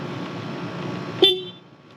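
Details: Wrecked 2009 Yamaha R1 being rebuilt: quiet background hum, then one short clear high toot at full strength cutting off cleanly; horn works.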